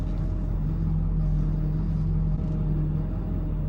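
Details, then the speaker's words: Front-end whine while steering and holding the wheel, then fading; the same whine occurs when pressing the brake and goes away in neutral. Hydroboost brake booster system. Power steering fluid or pump suspected; partial drain, refill and bleed done to correct it. "So I got this whining sound coming out of the front end, and it's happening when I steer."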